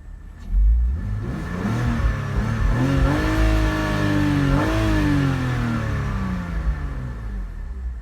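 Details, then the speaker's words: 2004 BMW X3 3.0 six-cylinder, about 152k on the dash, after $800 of repairs (flaps, other pieces) that cured a rough idle: engine revs up cleanly, pitch rises and falls evenly and settles back smoothly, no misfire or stumble; normal revving. "Listen to her. She's just purring like a kitten."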